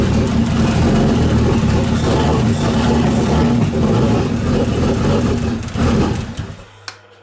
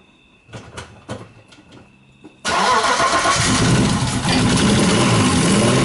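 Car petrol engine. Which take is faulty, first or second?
first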